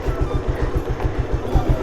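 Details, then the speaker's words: Warm carbureted Bajaj Pulsar 150 single idling with low, slightly uneven thumps and fluctuating, dropping rpm, attributed to a loose timing chain whose tensioner/adjuster bolt was not tightened. "RPM बहुत कम हो जा रहा है वो इसकी वजह से हो रहा है टाइमिंग चेन लूज है"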